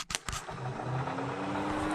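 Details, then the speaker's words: Nissan 350Z with LS swap, stock radiator cooling fan wired hot for testing (driver's side) before wiring to Holley Terminator X: clicks then steady, even whir climbing slightly in pitch; runs well, passenger-side fan seems weaker. "And that one sounds like it's running way better, so I guess the passenger side one is hurting, so we'll need to play with that."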